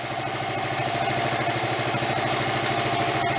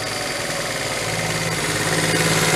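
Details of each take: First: 1974 Honda Z50 monkey bike, restored but never run before purchase, now idling after carb and fuel work while warming up: steady, even idle with a smooth fast patter and no misses or surging; normal idle. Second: 1974 Honda Z50 monkey bike, restored but never running, idling: wavering, hunting beat that keeps swelling and never settles; unstable idle, owner suspects intake air leak at the manifold, missing gasket.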